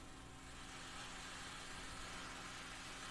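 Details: Old single-ended 3W valve amp converted from a reel-to-reel, through a speaker cabinet with signal generator off: steady loud hiss over low mains hum; excessive noise, fixed by removing a tube.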